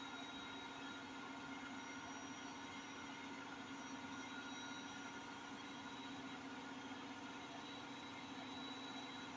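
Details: Hotpoint 8kg NSWM 843C Invermotor washing machine at 1400 rpm spin: heavy steady train-like roaring rumble; owner says bad drum bearings.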